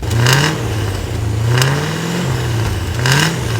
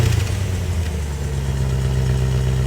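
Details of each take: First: Land Rover Discovery V8 after exhaust rework with new downpipes, stainless muffler and tip, revved in driveway; three clean throttle blips from deep even idle, idle volume barely reduced, no rattle or misfire: normal V8 exhaust note. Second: Land Rover Discovery V8 at idle before exhaust work: deep, loud, even burble with a strong low drone and little muffling; the centre muffler is largely missing and the exhaust is in poor condition.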